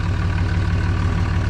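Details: Diesel truck idling steadily and evenly with a uniform low throb, no misses or knocks, after the crank-no-start was fixed; it had been out of fuel.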